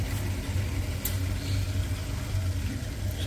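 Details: Chaffoteaux Britony SE boiler after main and plate heat exchanger replacement, running on heating: low, steady rumbling roar with no popping, banging or whistling; normal burner operation.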